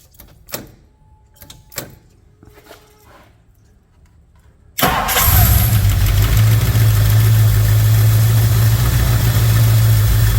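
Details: 1964 Ford Thunderbird after a top-end rebuild and a repaired spark plug wire: once briefly run, the lifters have pumped up and it idles smoothly, which it never did before.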